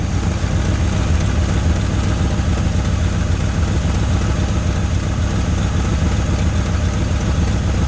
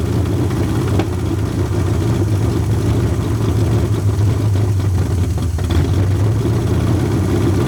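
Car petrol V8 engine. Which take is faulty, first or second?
second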